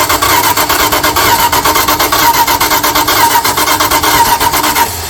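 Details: 1978 Dodge D150 with 318 LA V8, first start attempt: steady starter churning at an even pace that never catches; turns over freely but won't start, suspected distributor 180 degrees out, fuel being squirted in.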